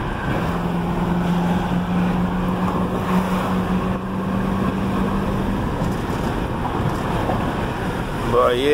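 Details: Road Runner V8 driving after a front wheel hub bearing replacement: steady V8 drone under wind and road rush, no clicking or clacking from the front hub; the bearing runs quiet.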